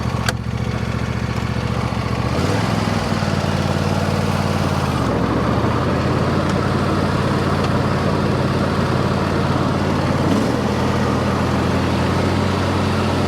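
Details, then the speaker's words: Revived John Deere D130 riding mower at idle after electrical and deck repairs: small single-cylinder engine in a smooth, even putter with only slight speed changes, no misses or knocks; runs great. "But yeah, this thing runs great."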